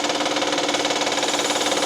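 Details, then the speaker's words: 2012 Honda Pilot 3.5L V6, engine running, heard from underneath near crank pulley, louder closer in: quick even ticking/slapping about six per second; customer reports clicking, mechanic thinks internal and suspects failed timing tensioner. "This right here, that's the timing chain tensioner. I think that tensioner has failed."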